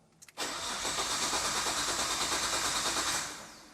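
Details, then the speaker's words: Cheap imported Nissan GT-R of unknown history, first start attempt: steady starter cranking for about three seconds that never fires; engine turns over well, but the fuel pump gets only about 5 volts. "The engine sounds good. Even though it's not starting, it sounds good."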